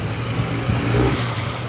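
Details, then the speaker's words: Outboard running on a broken prop with throttle kicked up: drone surges and flares in revs without the boat pulling harder as the propeller slips. Outboard propeller hub slipping. "Oop, it started to slip there. I felt it slipping."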